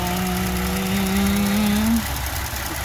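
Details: Ford engine running: a steady low whistle that rises slightly, then cuts out after two seconds. The EVAP purge valve assembly is stuck open and pulling fuel tank vacuum, causing rough running.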